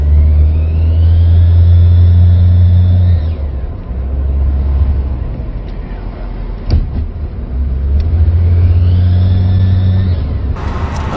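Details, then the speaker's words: Volvo 780 Bertone with its factory turbo: rough running engine with a rising and falling whistle as it revs; the turbo has shaft play and sticks when spun by hand, diagnosed as failing and due for replacement. "is making just terrible terrible noises so it looks like the turbos probably bad on the 780"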